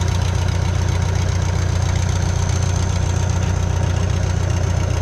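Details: Bobcat 883 with newly installed reman Deutz diesel, first start: steady even diesel clatter at idle, firm low rumble with no misses or knocks; runs smoothly.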